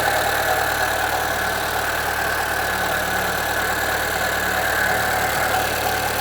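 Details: 2013 Chevrolet Celta 1.0 at idle: light, fast tick about three times a second at the front of the engine, getting worse; timing belt replaced at 50,000 km without fixing it, and the owner suspects the water pump, which has slight play.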